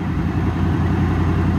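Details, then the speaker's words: Van's V8 (owner calls it a modular engine) idling low and heavy with an uneven, lumpy beat and a little exhaust smoke; owner thinks it's running on seven of eight cylinders; rough idle, cause unconfirmed. "that's a typical modular engine stuff I think sounds like it's running on at least seven and five eight cylinders"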